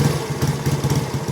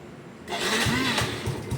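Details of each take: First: Yamaha Finn single-cylinder stage-2 53mm engine with cut stock exhaust, checked after a crash: uneven rapid pops and puffs at idle, sounding like backfire or air leaking; cause suspected, not confirmed. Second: Yamaha motorcycle with stage-2 built 53 mm engine, stock gearing, after a crash: cranks and catches quickly, settling into a steady, even idle putter; engine runs well and quiet, normal.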